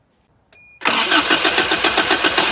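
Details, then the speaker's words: 1983 Toyota 22R, sat 20+ years, with carburetor problems: starter catches, engine fires into a harsh uneven run that wants to stumble; float bowl still empty, fuel starvation, likely needs a fuel pump at minimum. "oopsie yep we still have no fuel in the float Bowl um probably gonna be putting in a fuel pump at a bare minimum instead of doing something with this carburetor"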